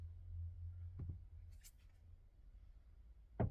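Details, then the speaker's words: Hyundai Creta 2018, front-wheel drive, 1.6L G4FG, 105,000 km: dull isolated knocks as the wheel turns, engine on or off, any wheel position; owner suspects the electric power steering area; tie-rod ends checked with no play; not confirmed. "а такая рулем крутишь когда без разницы заведенная не заведенная не такой стук вот без разницы в каком положении руль стук этот вылазит но по ощущениям как будто вот здесь где у него электроусилитель идет"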